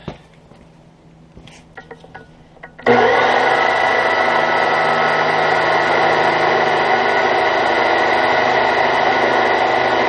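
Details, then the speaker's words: Brand-new standard chisel-point drill bit cutting metal, compared with a spiral-point grind. A harsh, steady jackhammer-like rattling buzz as the bit bites: the chisel point bounces and hammers in the cut, leaving marks in the hole. "and all right it's probably sound like a jackhammer"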